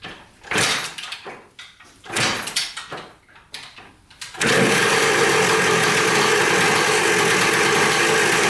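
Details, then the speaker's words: Dirt bike bought in a four-bike lot, first start after checking the fuel line, petcock and carburetor and refitting the spark plug: a few kicks, then a steady crisp two-stroke idle with no misfires; runs normally. Throttle threads found stripped afterward. "i'd say she runs pretty good awesome that didn't take much"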